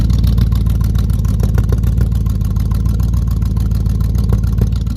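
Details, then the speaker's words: 1969 Buick GS 350 V8 after fuel filter change, warming up: steady idle with a fast light tick, roughly three a second, over the rumble; exhaust leak at cylinder eight. "yeah you guys can hear that nasty exhaust pick it's coming from cylinder eight"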